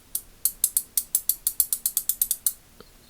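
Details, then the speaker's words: Ace Hardware Professional 3/8-inch drive ratchet with gear teeth worn flat and a damaged pawl, likely from excessive torque: sharp, unevenly spaced clicks with stumbles and a sliding feel as the pawl skips. "Right there, fumbling. Right there, you can hear it like kind of, it sounds almost sliding."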